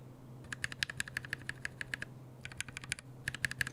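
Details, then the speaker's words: Mechanical keyboard switches lubed with a T1+T4 mix of laser-printer fuser grease; quick light key clacks with a hollow, plasticky edge, not scratchy, judged more plasticky than the other mix. "sounds a little more plasticy than this one this one is not scratchy its talky and it's not plasticy this one is plastic in my opinion"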